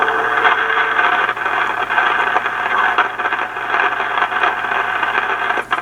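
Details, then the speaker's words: Yaesu FT-101 transceiver receiver: steady hiss broken by irregular sharp crackles and pops like lightning crashes, coming and going as the VFO is tuned; internal noise fault, source not yet traced, signal tracer next. "ery noisy in this receiver that's causing what almost sounds like, you know, lightning crashes in the background. But I think this is lightning crashes inside the rig. It's sounds really bad."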